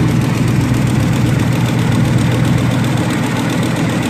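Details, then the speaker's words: Ford 4.6 Triton V8 after replacing a broken spark plug: smooth, deep idle with a light, fairly quick tick underneath of about four per second; owner suspects an exhaust leak, not a miss, with exhaust manifolds needing work. "I mean, I got a little exhaust leak, not a miss, but it's back there."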